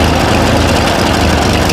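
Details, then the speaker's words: Revived Ford 8N tractor, abandoned 8 years: low, even chug at idle with no skips; revs up slowly and falls back to idle; still needs choke and carburetor tuning, but sounds healthy. "I got her running about as good as I'm going to get her uh she's able to idle up slowly and it sounds real healthy doesn't look like it's skipping or anything and she falls right back down on the idle"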